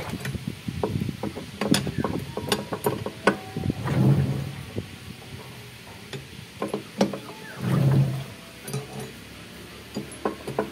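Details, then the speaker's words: Whirlpool LSP780GP 7.8 kg washer disassembled, spin drive turned by hand: irregular gritty ratcheting clicks; suspected spin bearing or gear, unconfirmed; motor checked and judged fine despite slight bearing noise. "Guys, pansin nyo, no? Pag inikot ko, dinig nyo yung ingay ng spin. Ito kasi yung spin ng iikot siya ng malakas."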